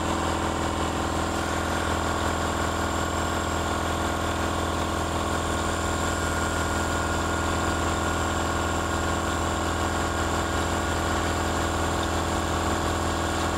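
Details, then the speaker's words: Air compressor after swapping the motor pulley from 86 mm to 120 mm, pump now above its original ~860 rpm, running faster; steady even piston chug about three beats a second, constant hum, no knocks or squeal; pump only warm, motor not heating; normal running. "Fakt faktem, słychać po niej, że szybciej pracuje."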